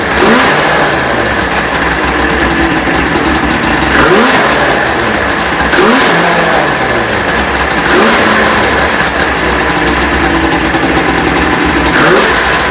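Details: Neglected 1996 Ski-Doo Formula 3 600 triple two-stroke snowmobile, after carb cleaning, choke adjustment and carb sync, on choke; revving blips about every two seconds, picking up cleanly and dropping back without bogging. Runs well.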